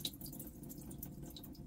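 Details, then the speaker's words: Junk Maxum bow rider boat engine with heavy rust, spark plug removed from a cylinder: quiet steady trickle of water running out of the plug hole, no engine noise; water in cylinder, possibly rainwater via the manifolds, source unsure. "this cylinder may be up higher there might not be as much water or it could be rainwater got in I'm really not sure if the manifolds actually oh yeah I hear it running out"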